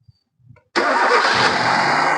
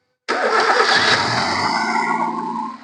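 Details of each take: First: Hyundai i10 after valve cover gasket replacement, fixing the misfire, low pickup and oil-fouled spark plugs: cranks briefly and catches at once without the earlier start delay, then settles to a smooth, even idle at correct rpm with no misfire or vibration. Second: Hyundai i10 petrol at start and idle, with low pickup and struggling uphill: cranks and catches with an uneven, stumbling flare, the engine shaking hard, a severe misfire as if one cylinder isn't working, loud from the silencer; valve cover gasket replaced.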